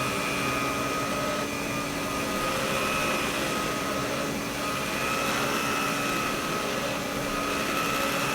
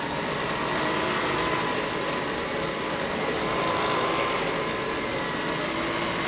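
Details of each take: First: Vintage Electrolux power nozzle after fitting a brand-new brush roll: steady high motor whine with an even brush hum; sounds better than before, only slight vibration left. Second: Vintage Electrolux vacuum power nozzle, before the brush roll is replaced: steady rough whirring with an uneven flutter and no speed change, from the worn brush roll.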